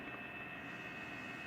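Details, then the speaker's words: LG Dual Inverter 12,000 BTU indoor (evaporator) unit: a thin steady whine over the soft air rush comes from the evaporator fan motor, and replacing the motor is suggested: fan motor noise. "motor ventilador da evaporadora Dual Inverter 12.000 BTU LG. Sugiro trocar motor."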